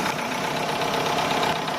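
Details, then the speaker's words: Chevrolet Aveo with code P0507 and check engine light, idling a bit fast with a faint hiss: air is suspected to leak through the hose from the EGR to the throttle body. Plugging it nearly stalls the engine, and releasing it raises the idle. "เดี๋ยวผมจะลองเอามืออุดดูนะครับเนี่ยทำให้เครื่องรถเราเหมือนจะดับแต่พอปล่อยสวิงขึ้นนะครับ"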